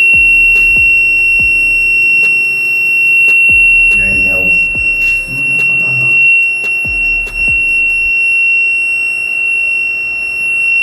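A steady, piercing high-pitched alarm tone holds throughout with faint clicks: the generator fault alarm, its no-start fault traced to the transfer panel.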